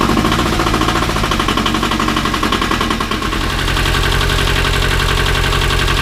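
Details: 1978 Bolens diesel tractor, cold at about 32°F, glow plugs 15 s, cranked on KeenPower super capacitor jump starter alone: slow uneven cranking chuffs ~3 s, then catches and settles into steady even clatter; normal cold start.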